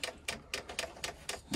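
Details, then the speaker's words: Chinese diesel air heater dosing pump on an Eagle bus conversion, after fixing a fuel line connection (air bubbles now moving toward the heater): crisp, even ticks about four a second, a normal priming thump, louder if the pump touches a surface. "agree this thing thumps wow yeah that's what i'm saying so that's probably about the only noise that's probably about as quiet as you're going to get that without wrapping in some kind of sound isolation box"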